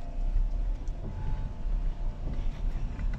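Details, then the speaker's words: Nissan Frontier 2.4L warming up on road test after timing cover replacement for front oil leak and distributor resync: deep, even rumble under load, no pinging or knocking; healthy. "cómo está el el motor hasta ahorita se siente muy bien todo está suavecito no tengo un pistoneo cascabeleo por el tiempo"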